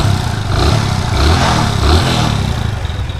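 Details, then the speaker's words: Hero Splendor iSmart 110 after timing chain replacement (it had a loud timing chain noise before): a steady, even single-cylinder idle with a soft low thrum and no top-end clatter or ticking; the engine sounds healthy and quiet. "तो दोस्तों जो bike है इसके sound इतने मस्त हो गए हैं बढ़िया एकदम सुनो हो गई है भाई बाइक स्टार्ट खड़ी है"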